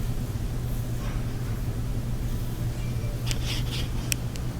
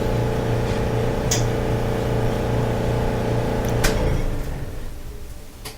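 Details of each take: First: Electrolux dryer after repair for a loud rumbling noise, lint buildup cleaned from the blower wheel: low steady hum with no rumble, thumping or scraping; runs smooth and normal. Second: Electrolux dryer running: steady low hum with rhythmic rumble that stops when the tumbler stops; lint and a sock lodged in the blower wheel, roller first suspected.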